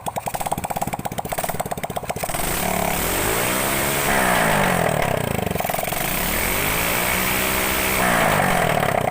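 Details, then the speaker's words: Grand motorcycle, single-cylinder carbureted, after replacing imitation aftermarket exhaust that made the carburetor spit fuel back when throttled: idles and revs cleanly up and down, no popping; power and sound back to normal. "Sini kasusnya sudah aman, dan tenaganya juga sudah pulih, suaranya juga sudah normal kembali."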